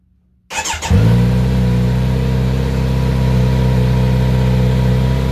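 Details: Kawasaki Z900RS at about 1600 miles, cold start: steady, even idle settling at a noticeably raised speed, higher than most bikes, a known trait of this model; high cold-start idle.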